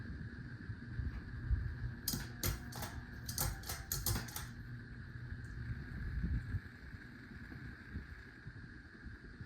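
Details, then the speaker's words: 52-inch Hunter Pro's Best ceiling fan on high: steady electrical buzz over a low motor hum with slight wobble, only two of three speeds working; bad capacitor, to be replaced. "It's not a dimmer switch, but the reason why it's buzzing is because it's on a bad capacitor."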